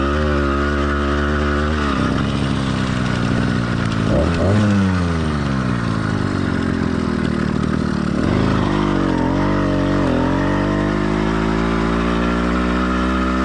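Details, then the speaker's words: Warm two-stroke motorized bike kit engine, stock or lightly modified, single-speed, single-circuit carburetor: revving up and down, smooth under throttle, lightly burbling off it; normal four-stroking, no need to chase it. "but first I thought it was important that new Builders know this bike and how it's running is completely normal for a stock or very lightly modified motor so you don't need to chase Your Tail trying to get rid of every last bit of four stroking if your bike is running similar to this one"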